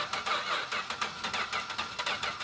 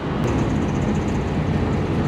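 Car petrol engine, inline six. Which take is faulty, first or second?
second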